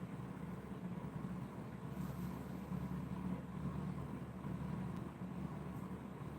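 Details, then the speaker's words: DIY pulse motor circuit run at 24 V instead of its 12 V system, with the transistor very hot despite a heat sink. It gives a steady, even high-pitched electrical hum with no rhythm change; cause unclear. "but yeah I would say that that oh it's I I can hear that it's like humming dude like a really high hum too"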